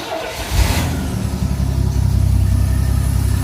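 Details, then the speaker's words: Rambler project car, exhaust routed to a side dump: brief cranking, then it catches and settles into a deep, steady rumble with no misses, a little loud; starts cleanly and runs smooth. "Smooth. You got the exhaust ran. A little louder than I'd like, coming out on the side dump, but you can see there's a smile on his face."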